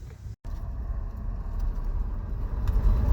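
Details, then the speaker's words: Saturn Sky Red Line bought from Copart: starter spins fast and even with no compression pulses; no compression, owner suspects timing and hopes the engine isn't destroyed. "Yeah, no compression. So we're going to tow it home and see if maybe it was the timing."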